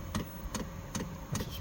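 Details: Hcalory 12V 5KW diesel air heater in a gym with upgraded fuel tank, at startup. Crisp evenly spaced ticks about every 0.4 seconds over faint hum: fuel dosing pump pulling fuel normally.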